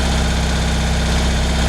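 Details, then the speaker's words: 1975 BMW R75/6 airhead boxer, 140,000 miles, off road over a year; chokes fully open, slow lumpy tick-over with widely spaced pulses, barely holding on; idle speed too low, Bing carburettor throttle stop to be opened a touch. "now the tick over at the moment is still a bit slow so i think what i may do is just open up"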